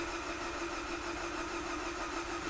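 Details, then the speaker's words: Viewer's car with coolant in the oil, said to have a blown head gasket, cranking in clear-flood mode during a combustion-leak test: even, steady compression cadence, and no combustion gas is detected in the coolant; normal cranking compression. "let's wait for a fresh screen and again we're just going to do a clear flood mode crank you can hear the Cadence of the compression is perfectly"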